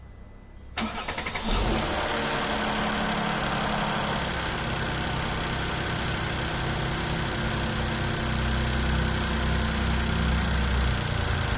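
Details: 2013 Mercedes-Benz E350, M276 petrol V6 on 0W-40 oil: light, fast tick over idle that follows rpm, from the back of the engine, not the timing chain side; quieter but still ticking once warm after 5 minutes; no warning lights, accelerates well; cause unknown.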